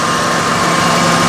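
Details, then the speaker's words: 1995 Ford F-250 4x4 at idle during an R-134a AC recharge; it had a leaking discharge-side Schrader valve. Steady idle with a smooth, quiet compressor hum and no knock or squeal after briefly running it. Normal AC compressor operation. "the pressor is nice and quiet so it looks like uh running it 5 like that for a short period of time didn't do any harm"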